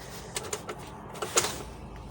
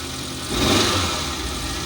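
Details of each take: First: Car idling with a lumpy, uneven misfire after starting; scanner showed P0300 random/multiple cylinder misfire; a connector/grip was found loose and refitted before the code was cleared. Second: Sun Na Kawan petrol car, cold after standing long, idles slightly high, smooth and even; earlier misfire with code P0300 (random/multiple cylinder misfire) now gone after clearing, idle expected to drop as engine warms; gearbox found with no oil, engine oil fine.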